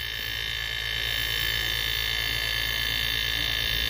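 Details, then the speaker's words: Homemade air compressor built from a refrigerator compressor: steady even hum with a high whining hiss, no strain as it runs; it pumps very little pressure. "então a pressão que ele faz é pouquíssima então ele compressor para mim não presta"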